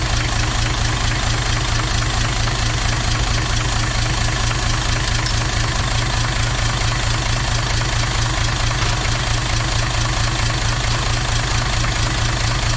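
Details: Toyota 2H turbo diesel in a Jeep idling with a steady knock about two a second; cracking the injector lines changed the back five cylinders but not number one, so the fault is in number one cylinder, cause not confirmed.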